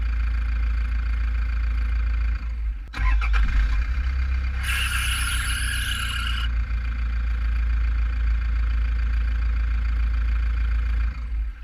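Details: Toyota Prado 2010 1KD diesel idling, GoPro mounted at radiator with fan removed; high squeal rises then fades intermittently despite new belt and three pulleys; owner suspects weak drive belt tensioner spring letting belt slip.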